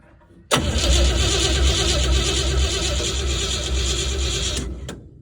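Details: Crosley hot rod stored about 20 years, fresh battery fitted, cranking for the first time; steady starter churn with even pulse about three beats a second for four seconds, never catches, cranks without starting.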